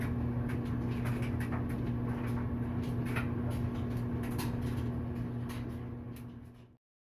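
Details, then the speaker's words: Whirlpool dryer after a temporary repair for a squeaky noise, running empty: steady low hum with a soft, even thump about three times a second, no squeal, then it winds down. Drum turns smoothly; owner wonders if it always sounded like this. "원래 이런 소리였나? 응? 원래 이런 소리였나? 아무것도 안 들어서 그럴지도 몰라."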